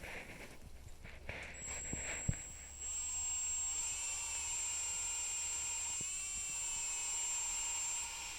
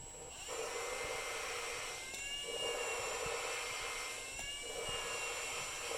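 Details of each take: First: Drill-driven valve lapping on an LS-swapped AWD WRX cylinder head: a steady drill whine over a gritty hiss as the compound cuts the valve seat, then the grinding fades as the compound is pushed out; exhaust valves were crusty. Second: Valve lapping on a cylinder head with a lapping tool in a drill: high drill whir with a gritty scrape every couple of seconds, thinning out. The grinding fades as the compound is pushed out; lift the valve.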